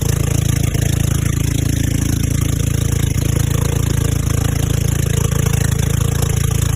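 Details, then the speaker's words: Old golf cart's small single-cylinder engine on a test drive after the carburetor seemed fine and the fuel line was suspect: an even, steady thrum with no misses. It runs great; the battery is the only problem, as it won't restart. "so guys we just went on a Dy ride with the golf cart over there she's running great but it seems like our only problem is the battery"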